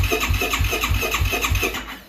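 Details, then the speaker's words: 2009 Yamaha YFZ450R fuel-injected ATV, crank no start: even starter chugging with no firing; fuel pressure only 5–7 psi, weak electric fuel pump. "you're only getting 5 psi. So obviously the fuel pump's weak."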